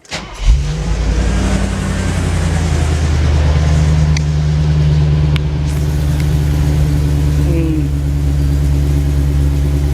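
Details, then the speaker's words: Mercedes R107 450SL V8 restarted at idle right after fitting a new OEM-style middle silencer to cure an exhaust drone below 30 mph: deep booming low drone. "Well, I would say that there is a modest improvement in the volume of the drone, which was annoying me."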